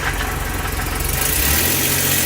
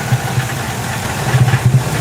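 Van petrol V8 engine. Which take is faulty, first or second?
second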